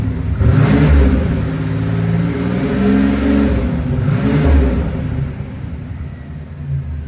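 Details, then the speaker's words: 1987 Buick Grand National turbo, 32K miles, running after 12-13 years abandoned, warm, 40°F day: two clean throttle blips rising and falling smoothly with a deep even exhaust note, no misses or knocks, no smoke, only condensation; revs healthily. "Not seeing any smoke. That's condensation. Engine sounds good."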